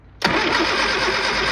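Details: Old Austin Mini Cooper with ignition parts being rewired: the engine spins over with a harsh, steady churn but never fires. Cranks but won't start; ignition timing or the burnt points are suspected, not confirmed.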